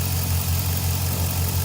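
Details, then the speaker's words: V8 truck started right after the spark plugs were changed on both sides to chase a missing problem; steady, even low idle rumble with no stumbles or skipped beats, running smoothly, hesitation not yet road-tested. "All right, so it don't sound too bad. Seems like it's running pretty smoothly."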